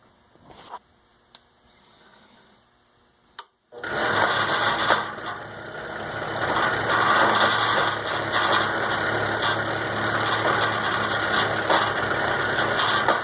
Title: Lathe machine making noise